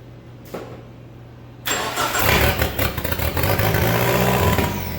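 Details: SRT-4 engine in a Mazda B2200 drift truck, restarted after a blown PCM fuse. It cranks, catches and settles into a lumpy, wavering idle. Rough because idle air control, TPS and intake air temp sensors are unplugged and there is no O2 sensor.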